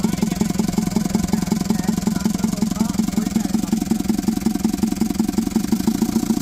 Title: kia diesel engine misfire